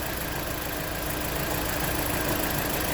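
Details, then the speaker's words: 2016 Jeep Patriot with cylinder 2 misfire (P0302): after swapping ignition coils the misfire cleared, steady even idle with no stumble; faulty ignition coil, injector apparently working, plugs to be inspected. "So it cleared up on number 2 cylinder, which was the fault."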